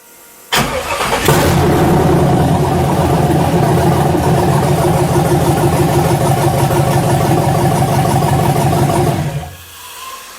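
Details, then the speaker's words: 1967 Chevelle with LS swap, restart with no MAP or mass airflow sensor, large "stage 17" cam: brief crank, catches cleanly, steady even idle with no knocks or misses, then shut off; normal start and idle. "starts up not bad hit the fuel First Once let it gain let it get pressure and then hit it that sounds cool real big that's a stage 17 cam"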